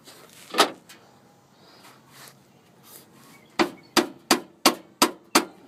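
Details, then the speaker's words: 2007 Chevrolet Silverado crew cab 4WD Z71 5.3 with a clunk when shifting neutral to drive, pulling away or hitting bumps: sharp metallic clunks as a loose metal heat shield on the bottom of the transmission case is tapped, before being buffered with tape. "so there's a just a piece of metal right off the bottom of that case I'm going slide this tape right in there to where I believe that's where the noise was coming from"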